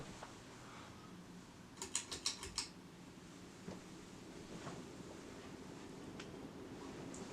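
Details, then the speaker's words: Hunter Original 52-inch ceiling fan (c. 2020, new install) on multi-speed wall control, switched from medium up to high: switch clicks, then a soft even rush of air with no scraping or knocking, running normally and moving a lot of air. "now this thing is powerful moves a ton of air i don't know if you can see it but it is moving my curtains"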